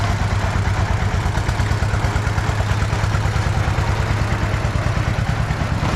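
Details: Russian DT-14 tractor from the 1960s, single-cylinder diesel, hand-crank started cold after 10 years unused: heavy, even low thumping at about two beats a second with steady clatter; normal idle after the cold start.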